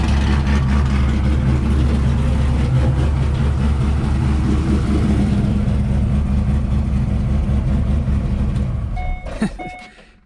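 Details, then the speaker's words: Chevrolet C5 Corvette Z06 with a forged 408 stroker, a decent-sized cam, no cats, tuned. Deep, loud, choppy idle with an even lope, steady without misses; well tuned, no dash lights. "so as you can hear this thing sounds like a beast and it seems very well tuned as well it idles well for uh for having a decent sized cam"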